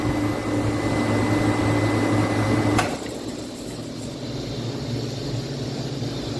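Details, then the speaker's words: Walk-in freezer compressor short cycling: a steady hum with a thin tone that drops away abruptly; internal leak past the reeds or relief valve suspected, with the compressor top hot and the suction line cool. "It has an internal leak. Can you hear that? That's so sad. I've never actually seen that happen, but there's an internal leak on this compressor"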